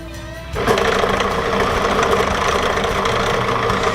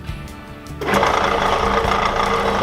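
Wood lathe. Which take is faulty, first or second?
second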